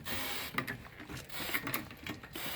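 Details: Mercedes being jacked up with wheel off: short high-pitched squeaks through clicking and scraping as suspension moves; squeak source being hunted part by part.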